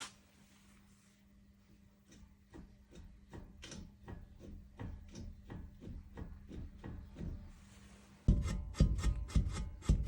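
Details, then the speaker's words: Chevrolet Cruze lower ball joint rocked by hand: hollow clunks about twice a second showing heavy play; polymer liner in the ball joint housing completely destroyed, stud near falling out; replaced only together with the control arm. "Еще одна шаровая в копилку люфтов. Смотрите, какой сильный. Chevrolet Cruze. Полимерный вкладыш в корпусе шаровой опоры полностью разрушен."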